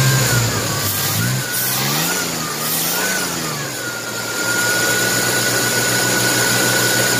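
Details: 1994 Chevrolet S10 Blazer 4x4, 4.3 CPI V6, 190,000 miles, sat three years, just after the spider injector replacement, with the intake off: revs rise and fall unevenly, stumbling as throttle opens; owner suspects an unconnected part, unconfirmed.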